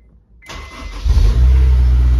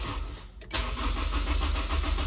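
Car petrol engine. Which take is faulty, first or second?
second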